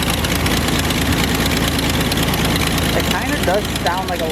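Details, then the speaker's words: Car with erratic idle and misfire, after fitting OEM coil pack and new copper spark plugs, codes not cleared, oil and hot air leaking from rear main seal: uneven lumpy idle, loose thumps about twice a second; still rough, possible misfire. "All right. So, it's still idling pretty rough. It doesn't really sound like it's misfiring, but it's definitely idling weird"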